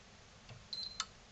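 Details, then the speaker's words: PlayStation 4 no-power repair, after replacing heat sink with diode: short high beep then one crisp relay click as console powers on and stays on normally. "if i hit the button hopefully you'll hear a relay click and stay on and you'll see the old fan spin there if it does so here we go"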